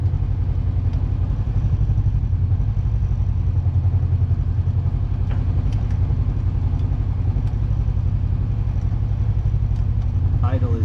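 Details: Kawasaki KRX (2020-2024) after adjusting away a high idle that was causing shifting problems: even low idle pulsing about four beats a second with no hunting or surging. Idle is now where it should be and shifting works properly again.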